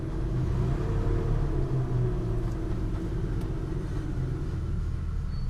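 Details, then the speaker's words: 2005 Buick Terraza with a 4T65-E transmission, on jack stands with the wheels spinning in gear: a low, rough, irregular grinding from the transmission under the drivetrain rumble. "okay let's try that one more time ah see the grinding didn't kick in until second gear"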